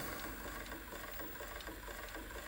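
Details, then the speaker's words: 1988 Sony SLV-353 VHS recorder during rewind: faint, rough, fluttering mechanical rasp repeating as the transport turns; abnormal noise, suspected to come from the rotating capstan. "There's a very odd noise coming from the video recorder."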